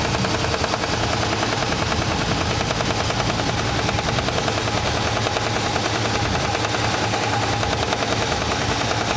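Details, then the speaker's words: 1980s Australian-built Simpson heavy-duty washing machine running normally near the end of its cycle, about a minute left before it clicks off: loud, even, rapid mechanical chatter over a steady low hum, no knocks or grinding. "We'll see it click out of what it sounds like when it clicks off."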